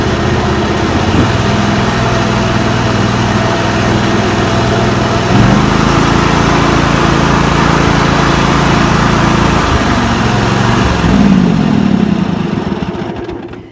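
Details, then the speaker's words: John Deere lawn tractor with a Kawasaki V-twin restarted after new ignition coils, plug caps and NGK BMR6A plugs, which cured weak spark on one side; it catches almost instantly, holds a steady, even idle with no misfires, then winds down cleanly. "Now that is quite a difference. That's a lot bigger difference than I was anticipating."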